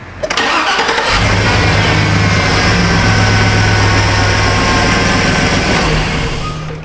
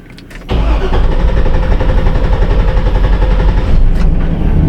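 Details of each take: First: 2006 Chevrolet Silverado 2500HD with the 6.0 V8, 43,270 miles, plow truck, after a ground-related extended-crank fault was addressed: short crank, fires straight away and settles into a smooth, even idle; normal start. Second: 2006 Chevrolet Silverado 2500HD 6.0L, 43,270 miles: starter churns steadily over four seconds without firing, extended crank persisting after another shop replaced parts; cause traced to excessive cam sensor air gap.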